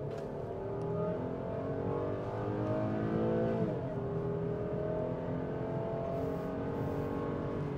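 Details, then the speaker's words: Mercedes ML350 project with naturally aspirated V6 needing a timing chain and near-full engine rebuild, under hard uphill acceleration: smooth even pull, revs climb and ease off steadily, no knocks, rattles or check engine lights; sounds healthy and held up. "It's weird, it doesn't sound terrible for a V6 either. But it looks like it held up."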